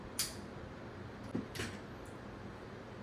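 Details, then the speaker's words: FN Five-seveN pistol function check after maintenance, using an empty magazine and no ammunition; sharp metallic snaps and a firm clunk as the hammer drops, so the action cycles cleanly. "Okay? And listen for the clunk."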